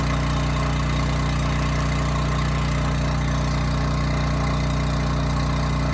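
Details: Homelite generator with Mikuni carburetor after carburetor cleaning that cured no-load hunting/surging, speed set to about 61.5 Hz: even, unwavering drone with no rise and fall; steady governed speed.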